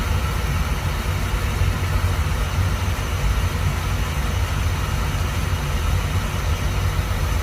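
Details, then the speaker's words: Beckett oil burner after replacing the nozzle with a .85 GPH 80° solid-pattern nozzle (machine had been acting funny): steady low rumbling roar, no puffing or sputter; firing cleanly, normal operation. "I think the nozzle is fixed. I think it should be fine. The machine sounds much better too though."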